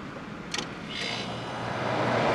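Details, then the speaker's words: Vintage Westinghouse 30-pint dehumidifier, dumpster find, first test with lid switch held: click on, then low steady hum builds as the compressor starts; healthy start, soon getting cold. "oh it works it started well it started anyway yeah let's wait a few minutes see if it'll gain any pressure I hear huming"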